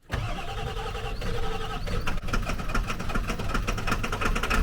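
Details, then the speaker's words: Diesel truck, now cranking faster on new batteries: brisk, even cranking with half-catches that never pick up. Air is still being bled from the fuel system, and it doesn't start. "oh man it's so close to starting you want to check I'm gonna bleed that again air anfield came out that time"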